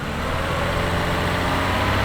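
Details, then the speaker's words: Car revved for 10 seconds during a battery tester's charging load test, which then reported charging normal: engine revs up smoothly with a clean, even rise in note and no knocks or rattles. "Increase the RPM for 10 seconds. We'll rev it up."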